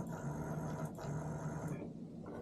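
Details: Known-good Simagic P-HPR Neo pedal haptic (the control) put back on all three ports while comparing two P2000 control boxes: low, even buzz pulsing in short bursts with no rattle or dropouts; the haptic motor works normally on both boxes.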